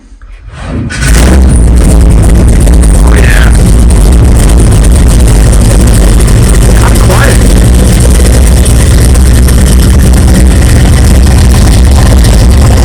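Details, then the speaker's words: 1964 Chevelle just fitted with new 3-inch dual Flowmaster exhaust dumping in front of the axle. It catches after a brief crank and settles into a deep, loud, steady burble with an even lope; a healthy idle. "it sounds good I hope that didn't store really bad and sorry if you're listening in headphones but it sounds pretty good I like it"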